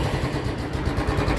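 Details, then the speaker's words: Royal Enfield Electra (Bullet) just started after Motul oil change, stock silencer with BS3 bend pipe: even single-cylinder thump at steady idle, regular beats without knocking or clatter; healthy, normal idle. "हमने इसमें company का original यल एफीड का stock silencer लगाया हुआ है band pipe हमारा bs3 है काफी अच्छी आवाज है इसमें"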